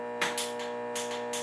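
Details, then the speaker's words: Bridgeport Series 1 R2C3 CNC mill during initial bring-up: sharp clicks in pairs over steady electrical hum from solenoids actuating the pneumatic spindle brake and the air motor of the variable-belt speed control; normal. "yep so you can actually hear that clicking noise is these uh what we have over here is there's a couple of solenoids up here and these actuate the uh the air BR or the the spindle brake which is pneumatically driven"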